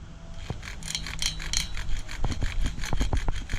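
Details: Hobao VS2 nitro RC engine being started: rubbery whirring spin-over with scattered uneven clicks where it tries to catch but never runs; no-start, owner expected it to have dried out by now, perhaps flooded.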